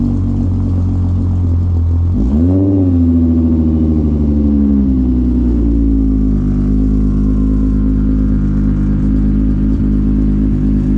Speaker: She's a little bit loud, but race car, so it's fine. As you can hear, Miley's still running good as usual.